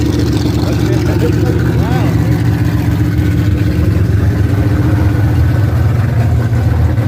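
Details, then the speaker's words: Another hot rodder's V8 car with open headers, running: deep loud lumpy rumble, steady without knocks or ticks; sounds healthy. "Fuck yeah, man. It's open headed. Sounds good. Real good."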